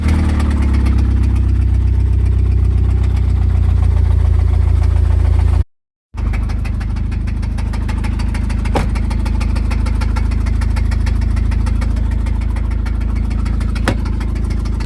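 Steady idle with a deep, uneven knock under it at roughly four beats a second; sounds like a worn connecting rod bearing.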